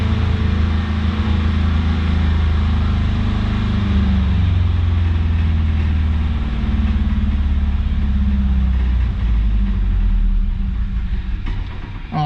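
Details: 1983 Toyota Celica, carbureted 22R four-cylinder just started cold: idles low and lumpy, beat wavering unevenly as it struggles to hold a steady idle while warming up.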